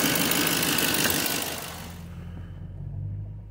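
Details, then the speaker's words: 2007 GMC Sierra Classic truck engine at idle after DIY oil pressure sensor replacement: oil pressure still showing and no leaks seen yet. Steady, even idle with smooth low hum, no knocks, ticks or misses. "Okay, I still have oil pressure, which is quite nice to see that. There's some oil pressure."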